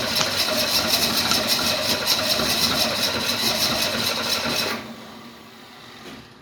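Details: 1968 Mustang cranking steadily at about two and a half turns per second for five seconds without firing; owner says no fuel is coming from the tank.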